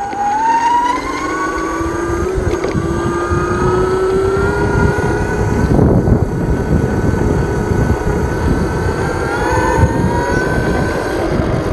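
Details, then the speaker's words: Micro e-bike riding after throttle mod with extra linear potentiometer: clean electric whine rising steadily with speed over wind rush; smoother, sounds better, motor healthy. "It even sounds better. It even sounds better."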